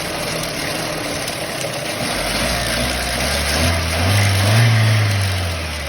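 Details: Renault Mégane 3 engine idling then revving briefly: a light rattly clatter rides over the hum and rises with engine speed. Timing chain tensioner noise.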